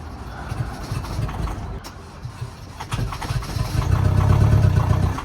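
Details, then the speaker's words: High-mileage ex-Amazon diesel delivery van, sat for months, on a new battery: starter turns the engine steadily with uneven thuds but it never fires; crank no start, owner suspects it is low on diesel. "this is where my lack of of mechanical knowledge comes in but will we need more diesel for it to start like that"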